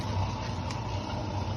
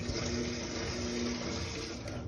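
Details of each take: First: Mabe Aqua washing machine drain pump: steady low hum with faint fixed tone, no water moving, not draining; broken impeller, pump to be replaced. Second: Mabe Aqua washing machine on spin after replacing the drain pump, whose impeller blade broke so it only buzzed and wouldn't drain. The new pump gives an even, steady hum with no buzzing or straining and drains the water. Normal drain pump operation.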